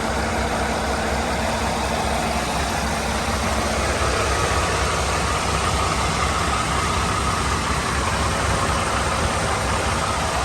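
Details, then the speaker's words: International ProStar Maxxforce diesel warming up at idle after fan belt idler pulley retrofit repair: steady, even clatter with no knocks, squeals or chirps; checking for leaks. "warming it up see how she's doing make sure it ain't leaking"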